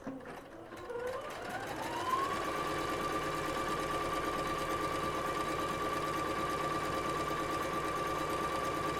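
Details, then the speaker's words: Singer SE9185 sewing and embroidery machine running through the menu 1 stitches: the motor winds up over two seconds, then holds a smooth, even hum with a light, steady needle patter. It runs normally. "Aí agora eu vou acelerar um pouquinho aqui com vocês, porque no menu 1, por exemplo, ele tem vários pontos e eu vou testar todos."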